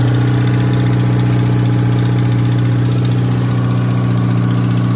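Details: 2018 Subaru WRX base, Stage 1+ Cobb tune, Cobb intake, muffler/resonator delete: loud, lumpy idle with steady clicking about three times a second; owner suspects rod knock, cause still unconfirmed.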